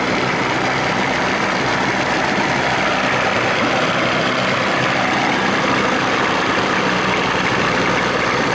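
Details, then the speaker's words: 1987 Johnson 40 hp outboard in the water, warmed up after adjustments, idle lowered: steady, even running under water splash with no misses or surging; normal idle, though it needs motor mounts. "now it sounds like it's supposed to revving up a couple of them and then not crazy just a little bit boy she needs motor mounts"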